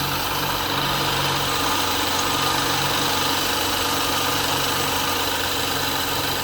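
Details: BMW F10 535i idling after drive belt tensioner replacement: smooth even idle with steady hiss, no squeal, chirp or knock; belt running quietly.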